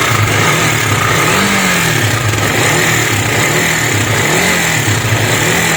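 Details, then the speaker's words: KTM Duke 250 before engine work: harsh metallic clatter over the exhaust, swelling about once a second; tappets and timing chain to be checked. "बार तो आपने देखा इसके engine में से बहुत गंदी वाली नॉइस आ रही है"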